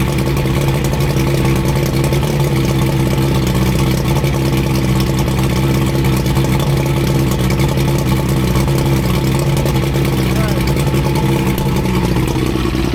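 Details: 85 hp Evinrude outboard on a water hose after new head gaskets, new spark plugs and tightened hose clamps, after earlier overheating: steady, deep drone at constant speed with no knocks, misses or hunting; normal running.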